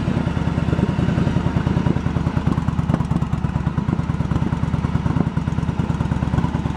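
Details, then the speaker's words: 1986 Yamaha Virago 1100 V-twin, revived after years sitting: uneven lumpy idle with light rapid ticking; the front valve was set a little loose while chasing a problem, the carbs are not yet tuned, and a float bowl gasket leaks. "The front valve, when it's cold again, I got a little on the loose side because I was chasing a problem, but nothing should affect how it runs."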